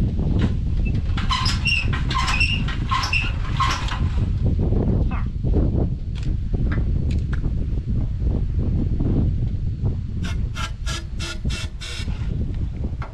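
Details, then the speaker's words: 1930 Ford Model AA doodlebug, sitting 72 years, carburetor pulled and fed ether after fixing ignition grounding fault: uneven stumbling chuffing, only some cylinders firing; misfire, exhaust valves sticking suspected. "she started to hit some of them cylinders don't seem like they want to run just give it a try again she's wanting to run at least she's sparking"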